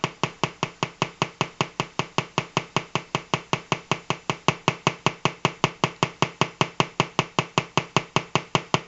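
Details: Colour-changing LED bulb on 4.5–6 V DC batteries: sharp, even ticks about 2.5 per second, steady, quiet background; rhythmic electronic tick, likely interference noise from the colour-cycling driver.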